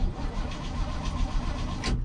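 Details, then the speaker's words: 1965 Chevy C10 truck, unstarted for 7–8 days, cranked with no throttle pump; even cranking beat but it never fires. Cause unconfirmed, possibly needs fuel pumping; it later started on full throttle: cranking, no start. "no i i don't think it's gonna start let's try one pump gotta give us some gravy in order to start her you know"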